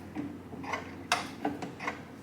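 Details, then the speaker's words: 1989 Kawasaki KX80 engine rebuild, case halves just bolted together, in neutral, crank turned by hand: a handful of uneven light ticks; owner suspects crank or rod hitting inside the case — unconfirmed. "It's that noise I was talking about. Ugh. What is that? I think the crank is hitting. I think the rod's hitting. The inside."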